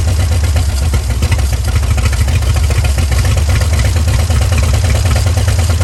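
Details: 1938 Dodge truck, sat 50+ years, just revived: deep, steady low rumble with even firing and no knocks or misses, idling a little high. Normal idle.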